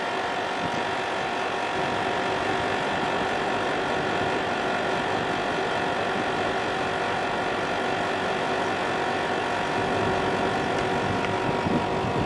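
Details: National CU-915KH 1.0-ton mini-split outdoor unit (1990s, Matsushita, Japan) on the roof tiles, noisy since September 2012, loudness varying: steady droning hum with a faint rattle and a thin tone around 700 Hz; likely vibration noise.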